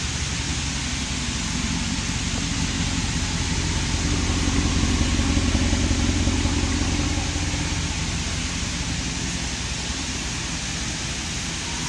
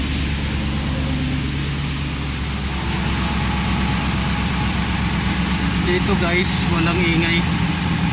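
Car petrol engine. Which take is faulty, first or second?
second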